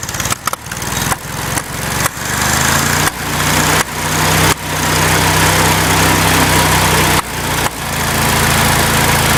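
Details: Farmall Cub tractor engine at idle: sharp pops roughly every half to one second over a lumpy low idle. The cause of the popping is unknown and the owner is asking for ideas.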